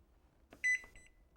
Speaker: Press Start reset and the Home Bakery will begin its cycle with a beep